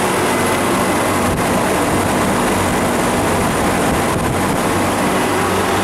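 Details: Refrigeration condensing unit on a milk tank, after replacing an internally leaking liquid-line solenoid valve and liquid-line drier: steady rush with low hum, no knocks or rattles; running smoothly.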